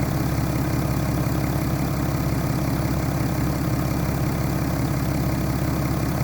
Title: BMW N57 rod knock (F11 530xd 2011 @ 367 000km)